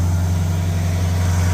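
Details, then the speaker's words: 1985 Mercury Marquis fire chief's car, police interceptor package, 351W V8 with new cam during cam break-in, mufflers still on, base timing 12° and max advance 36°: deep, smooth, even fast idle with no ticks or knocks, slight blow-by, sounds healthy. "But it sounds good. I mean, it doesn't sound like a huge performer right now, but it's still got mufflers."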